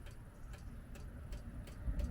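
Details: Espar D2 diesel heater starting up after atomizer screen replacement, 530 hours since last service, set to 22 °C, recorded outside at the exhaust port: crisp clicks about every 0.4 s over a low rumble, normal fuel pump metering.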